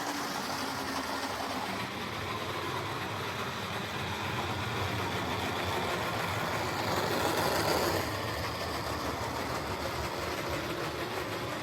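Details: Old Jouef (or Playcraft) HO scale Class 21/29 locomotive: loud, rough, buzzy whir with uneven chatter that never smooths out; worn motor needs replacing.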